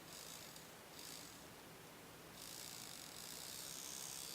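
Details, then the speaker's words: Small DC motor from a car window fan, bench-tested at about 2 volts, buzzes with a fast, uneven rattle; the motor is worn out and definitely shot. "you can hear that rattling noise yeah that that motor is definitely shot"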